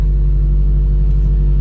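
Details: Subaru WRX FA20DIT on a speed-density tune with code P0303, cold start just after the cylinder 3 spark plug was replaced. Deep, lumpy, uneven idle; misfire on cylinder 3 at idle and startup only. Owner suspects an internal issue from oil on that plug.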